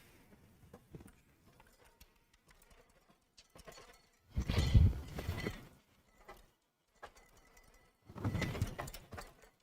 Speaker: So a lot of what you're hearing are the cables rattling around, but you can definitely hear when metal hits metal versus when these plastic cables are hitting the case. It's a very distinct sound of a screw bouncing around.